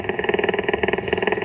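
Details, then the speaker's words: Ham radio receiver in a car with the engine running: harsh buzz pulsing about thirteen times a second, ignition interference that stops when the car is shut off; owner plans a filter. "I want to be able to use the radio with the car running. I can, but I hear this loud buzzing the whole time."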